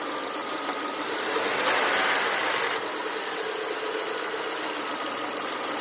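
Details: 2000 Volvo S40/V40 1.8, 122 hp: steady idle with a harsh, hissy rasp riding over it and no clear knock; rasping noise at idle, source unclear.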